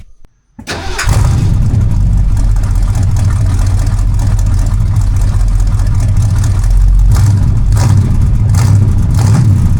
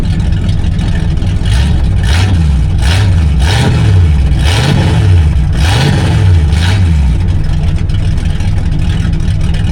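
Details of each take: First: Big block Mercury after DIY dual exhaust with 2.5-inch pipes from the manifolds and thrush glasspacks: brief crank, then a loud, deep, steady rumble with a throaty exhaust note; healthy running, louder than expected. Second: Big-block Mercury land yacht with exhaust cut off ahead of the mufflers in an attempt to make it run better: deep, very loud unmuffled rumble swelling with each throttle blip. Open exhaust, before dual exhaust install.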